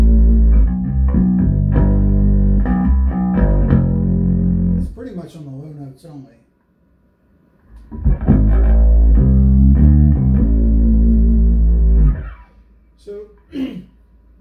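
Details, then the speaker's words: Hartke 3500 bass amplifier, EQ engaged, compressor halfway, tube and solid-state preamps up: each plucked bass note has a buzzy fuzzy edge instead of clean tone; amp distortion, cause not yet found. "the camera's picking that up there's this ungod awful fuzz going on"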